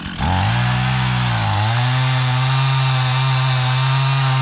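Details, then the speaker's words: Husqvarna 55 Rancher chainsaw, bought as a non-runner and fixed, cutting a pine tree: engine bogs briefly, then settles into a strong, steady high-revving drone under cut with no misfire or stumble; running healthy. "all right there's a pine tree that I want to cut down we got too many Pines around here anyways the trash trees and uh can't call this fixed until we cut a tree down with it"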